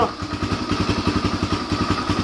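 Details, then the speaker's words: 2007 Yamaha TTR125 started by kick after carburetor cleaning and new fuel hose (was hard starting); single cylinder thumping at roughly ten even beats a second, steady and clean, no stumbling — normal running after repair. "shook it give it a few kicks there we go she's good to go now"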